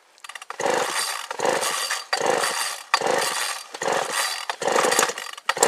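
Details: Craftsman 3.7 / Poulan 3700 saw, dated 1983, after a new carburetor and fuel line were fitted. It revs up cleanly into each cut and drops back between cuts, about one per second, strong and even. Running right.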